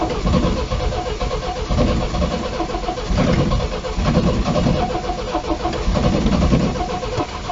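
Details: Long-stored MGB GT restart after cleaning out a mouse-eaten air filter: the starter churns on with a rhythmic, labouring beat for several seconds before the engine catches; long cranking.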